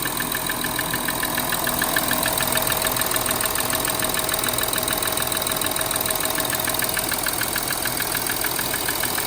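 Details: 2013 Audi Q7 3.0 TDI 245PS diesel idling cold with sharp, even ticking about two per second until reaching 90°C; loudest at top, driver's side near EGR cooler vacuum actuator; injectors swapped, new lifters and rockers didn't help.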